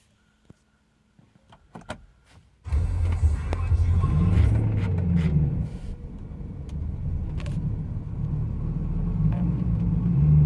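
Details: 2012 BMW M3 E92 V8: engine catches after a quiet start and settles into a low, uneven idle with a wavering, lumpy beat; rough idle.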